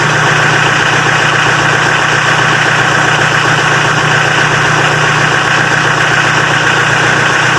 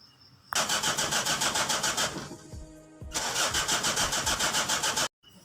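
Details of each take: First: Mitsubishi L300 diesel after glow-plug heating system repair that cured hard cold starting: steady, even diesel clatter at idle with constant tone, no misses or hunting; healthy idle. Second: Mitsubishi L300 diesel cold morning start: cranks in two long bursts, about three or four strokes a second, without firing after glow indicator; suspected air in the fuel pump or faulty glow plugs.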